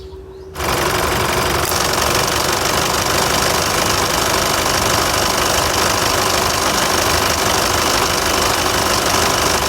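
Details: Isuzu Mu-X engine front, recorded while driving: busy rapid ticking and rattling about three to four beats a second; owner unsure whether AC belt or AC compressor clutch; found to be a loose AC compressor belt.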